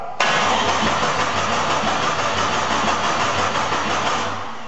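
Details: Jeep Cherokee, first start of a newly installed engine after fixing poor connections, exhaust left off so very loud: it catches instantly and settles into a loud, open, even idle with no knocks or misses.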